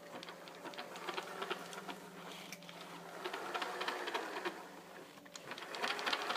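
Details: Kyosho Scorpion XXL VE RC car after upgrading to a 16T pinion set by the paper method: busy whirring chatter with quick uneven clicks over the motor whine. Gear mesh noise is suspected, though the car otherwise runs well.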